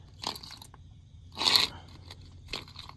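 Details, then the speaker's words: Nissan 240SX old clutch throw-out (release) bearing turned by hand during a clutch replacement: three short, gritty, crunching rasps as its worn bearings rattle badly. "well this is the old one but if you can hear you hear the bearings in it rattle pretty bad"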